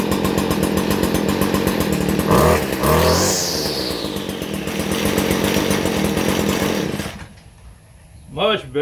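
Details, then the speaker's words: Stihl FS 56 RC trimmer restarted on half choke with correct 50:1 fuel, after 20:1 mis-mix had caused 4–5 pull starts: two-stroke buzzes up steadily, holds even pitch, then shuts off; starts on one pull and runs cleanly. "Now it's starting up with one crank. Right there it should start up pretty easy, you know what I mean?"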